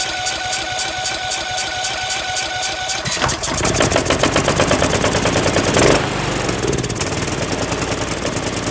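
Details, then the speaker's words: Cub Cadet LTX1040 Kohler Courage single-cylinder after an engine fire, no air filter housing, oil slightly overfull. Catches and runs with a rough, uneven chug but only stays running on choke; carburetor needs cleaning. "so it starts it sounds okay it won't keep running without choke so um so sounds like sounds like it runs fine it'll need a bit of CB work"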